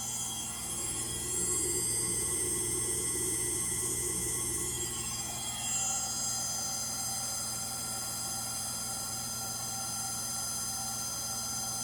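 A loud roar with a steady high whine rises through final spin and then drops to a smoother, lower hum, which points to worn motor bearings.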